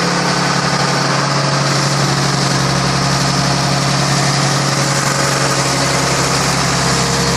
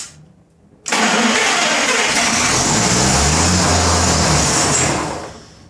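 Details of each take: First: Rebuilt 1933 Chevrolet straight-six (5.6:1 compression, 74 hp @ 3200 rpm), first run in over 60 years after priming and choking: smooth, steady, even low idle with no knocks or misses. Normal idle. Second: 1933 Chevrolet with a rebuilt engine (5.6:1 compression), first start attempt in decades: steady cranking with no firing, battery going flat. The carburettor bowl isn't drawing fuel from the line. Crank-no-start from fuel starvation.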